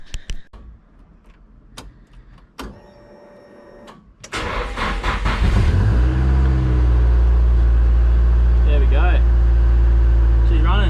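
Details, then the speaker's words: Nissan 180SX on E85 fuel, exhaust not mounted flush, at cold start: cranks and catches, then holds a steady raised idle that revs high for a while before settling; otherwise runs nice, cause not confirmed. "yeah when you first when you first start it up it revs uh it revs a bit high"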